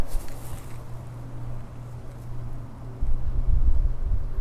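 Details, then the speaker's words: Aerobic septic system, aerator at the second tank; steady low hum with faint bubbling under wind noise, aerator pumping air normally. "you can hear the bubbles pumping."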